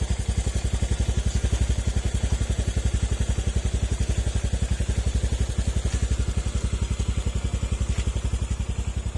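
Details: Honda Click scooter, bought with many problems, after repairs: steady even single-cylinder putter about 220 beats a minute, earlier ticking gone; quiet, normal idle.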